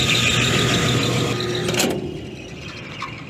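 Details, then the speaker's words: Roughly 30-year-old refrigeration condenser unit on a warm cooler/freezer service call: a steady high-pitched squeal over the spinning blower; the worn belt is slipping, seemingly loose and possibly misaligned. "let's see if the fan runs if we jump it or if it's actual intercepted fans running belt sounds like it's loose"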